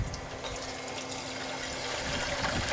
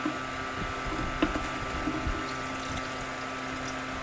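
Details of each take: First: Continuous waste motor and transmission oil distillation unit with reduced reactor reflux, about 390 degrees: sharp irregular pops and crackles over a bubbling hiss as water droplets in the mixed oil flash to steam. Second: Continuous waste motor oil distillation unit, kerosene- and petrol-like fractions collected, all streams combined: steady, even trickle and splash of distillate over a faint hum; flow is smooth, fast and normal.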